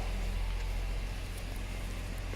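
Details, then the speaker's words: Subaru B9 Tribeca Limited flat-six: low, even idle rumble, no ticking, misses or tapping, quiet dual exhaust; normal idle. "let's hear that engine very smooth no ticking just wow I love it the exhaust is quiet"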